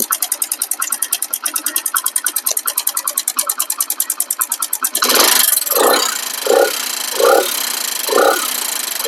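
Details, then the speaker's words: Hero Splendor Plus engine at light idle with throttle blips, mic held close to the engine: rapid, even metallic ticking. The exhaust valve tappet adjuster screw keeps loosening even after clearance is set, giving loud tappet noise and low pickup; the inlet valve is fine and there is no smoke. "ஆனா noise மட்டும் பயங்கரமா இருக்கும். ஓட்டுறதுக்கே நம்மளுக்கு தோணாது."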